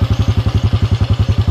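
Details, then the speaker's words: Yamaha Jupiter carbureted motorcycle that kept stalling and would not hold idle, after the throttle idle setting was adjusted: even, deep thumping at about nine beats a second, holding level with no hunting; now a normal smooth idle. "ilang samya ini langsamnya dengarkan sendiri ya deket-deket Hai tampil enggak naik turun"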